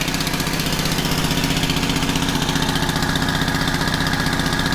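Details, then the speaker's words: Honda FG110 with no idle and bogging, no choke: steady, even single-cylinder putter about four beats a second, no misses; little white smoke, slightly rich. "See a little bit of white smoke. Blue smoke, not much. You just smell a tad on the rich side."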